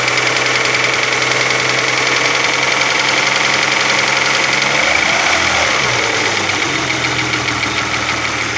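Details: Opel Omega B V6 at idle: light, fairly steady tapping about three to four per second over the engine, from the exhaust camshaft on the second cylinder head knocking.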